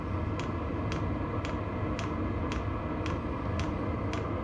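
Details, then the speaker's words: VEVOR diesel heater running: steady blower rumble with crisp ticks about twice a second from the clicker/pusher-style dosing pump, which clicks all night; normal. "it does have a a clicker style Pusher style pump in it that's all it does all night long just clicks"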